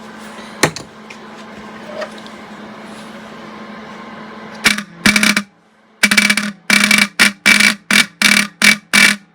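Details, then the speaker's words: Old rusty car horn for a vintage VW bus build, cleaned and reassembled with a backing-out screw tightened: run of short bright buzzing beeps about one a second, clear and even; horn now works properly. "kind of sounds like a car horn or a dying cow"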